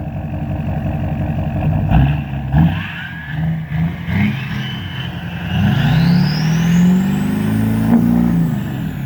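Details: 2006 Chevrolet Silverado 6.6L Duramax diesel, Allison transmission, after replacing a cracked downpipe that caused boost loss and black smoke: steady idle climbing smoothly through several revs with a rising turbo whistle, no hissing or puffing leaks; normal.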